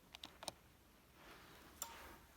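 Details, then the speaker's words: Samsung UN55D6500 TV that clicked without turning on, after repairing a broken solder pad: a few sharp single clicks as it switches on and off, no chattering; relay and capacitors were fine, relay switches normally. "right off relay work fine so it was not the relay was not the capacitors"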